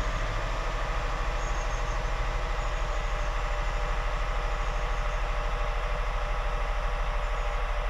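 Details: 2001 Honda Insight gen 1 hybrid, off the road 7 years, idling stone cold in a garage with bonnet up: low, smooth, evenly pulsing three-cylinder idle, no knocks, misses or rattles; normal cold idle.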